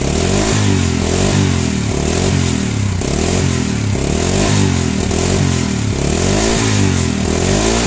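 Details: Honda Supra Fit/Grand/Legenda that died when hot, after replacing the weak stator coil (spul) with a new one: single revs up and settles in even surges, clean unbroken firing, no misses; ignition normal.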